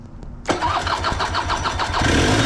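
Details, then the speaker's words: 1991 Honda EZ90 Cub, 90cc two-stroke with CVT, running premix because the previous owner removed the oil pump. Catches after a short crank, then a fast ringing buzz creeps up and holds high; idle too high, wants to take off. "There we go. Idle's a little high. It wants to basically just take off."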